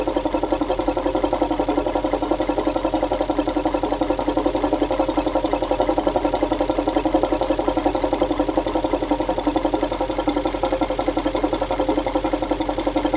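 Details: Audi A8 D3 4.0 V8 TDI (ASE) diesel at idle: sharp, steady loud metallic tapping; oil filler shows pulsing pressure, VCDS shows cylinder 8 at +1.98 mg/str; suspected lifter, timing chain/tensioner or leaking injector, undetermined.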